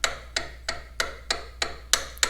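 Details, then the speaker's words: Farmall H tractor, worn rocker arm bushing worked by hand: egg-shaped, 0.013 in running clearance to the shaft, out of spec. Eight sharp metallic knocks, about three per second, similar to the engine knock heard after first start. "13 thousandths running clearance, this arm to the shaft. Definitely out of spec. You hear that? Just working it by hand, you get a very similar knock to what we heard when the engine was running."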